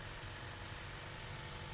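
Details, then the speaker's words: Honda Accord after reconnecting a fallen-off vacuum hose that caused the idle to surge to about 1500 rpm until warm: quiet, even low hum with no rise and fall, smooth stable normal idle. "And now the engine has a smooth idle and no issues."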